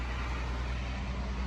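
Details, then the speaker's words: 1977 Datsun 280Z fuel-injected barn find, first start after 16 years sitting: started right up without pumping; low, even rumble with no misses, knocks or ticks; healthy, smooth idle. "gotta love fuel injection man didn't have to pump it at all she just started right up and it sounds great i'm really stoked right now it's running good it sounds good"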